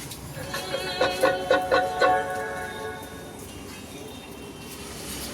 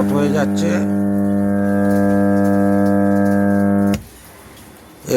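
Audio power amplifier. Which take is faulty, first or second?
second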